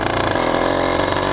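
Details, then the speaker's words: 100cc PK100 two-stroke motorized bicycle engine, over 10,000 miles, buzzing hard under way: fast irregular ticking over the exhaust note, unknown cause, motor then quit, leading to rebuild with new iron-sleeved cylinder. "Hear that ticking? I don't know what that noise is. That's bad."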